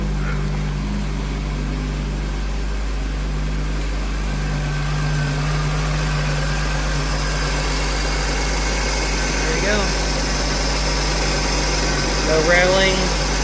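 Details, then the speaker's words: 2003 Honda Accord V6 at 136,649 miles, after belt tensioner replacement: smooth, even idle with a low steady hum, no rattle or chirp from pulleys or belt; quiet and healthy. "Pulleys sound good. Nice and quiet."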